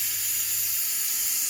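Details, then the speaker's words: Simadre 5200DX plasma cutter with air source connected, machine switched on: constant air hiss from the torch, no cutting; manufacturer advised inspecting the air solenoid. "I don't know if you can hear that. Air is coming out non-stop."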